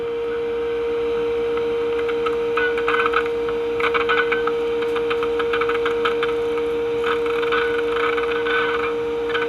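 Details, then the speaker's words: During alignment of a 1952 GE Model 607 radio (speaker grounds through its basket), a clean, steady single-pitch IF alignment test tone holds over faint hiss, now passing through the audio stage to the speaker. "you can hear that through the speaker that's pretty good right there"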